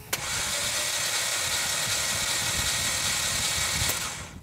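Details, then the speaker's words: Auction non-runner 2012 Hyundai Genesis Coupe, thought to have a 2.0L turbo, cranked on a jump starter after a dead battery: fast, even sewing-machine whir with no compression pulses, suggesting almost no compression. Cause not yet confirmed. "so you heard it turns out i was wrong we don't have a 2.0 liter turbocharged engine we got a sewing machine in here disguised as a turbocharged engine all right so as you just heard our engine sounds just like a sewing machine and that's a distinct sound an engine makes when it"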